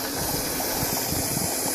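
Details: Venturi jet pump test on a bench: GM 2002 V6 F-body fuel pump module in a bucket, regulator bypassing at 58 psi, jump-box powered: steady rushing hiss of fuel flow over low pump hum that evens out and stabilizes; normal fuel pump operation.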